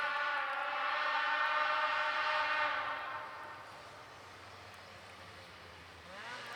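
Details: Polaris IQR 800 two-stroke snowmobile (shorty conversion) ridden off through trees and back, about 8,000 rpm (owner wants 8,500): high clean wail at steady revs, fading and returning; strong, normal running.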